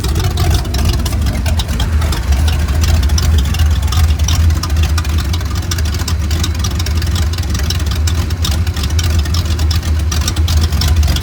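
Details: 1989 Ford Mustang GT Fox body V8 with catalytic converters removed, shorty headers into about 2 ft pipes ending before the cat position: loud, deep, steady rumble with a raw unmuffled bark at idle; open exhaust without cats.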